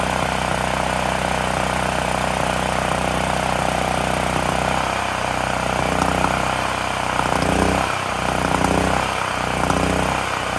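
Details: Extreme Contractor Series 6,500 W (8,500 W surge) gas generator bought almost 20 years ago, revived after long storage; after tightening a bolt that cut vibration, steady even small-engine drone holding speed, no stumbling or surging. Normal running.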